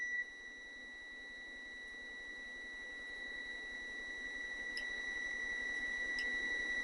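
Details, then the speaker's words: 1972 Honda Z50 with no spark, continuity tester clipped to black ignition points wire and ground; clean, steady high beep with no dropouts, continuity stays even with points open. Ignition points continuity normal. "So we have good continuity right there. You can hear it. And if I open the points, oh, we still have continuity."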